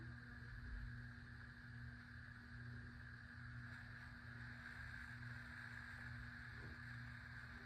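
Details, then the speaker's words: 52-inch white Hunter Pro's Best ceiling fan on low speed: steady low buzzing hum, slightly uneven drone under the whoosh; owner blames a bad capacitor, which also leaves medium and high the same, and plans to replace it. Motor buzz. "Yes, this fan does make buzzy noises because it's got a bad capacitor."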